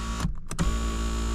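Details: Mazda power seat after lubricating the dry drive rod that caused squealing: smooth even motor hum with no squeal or chatter as the seat travels; normal seat motor operation after fix.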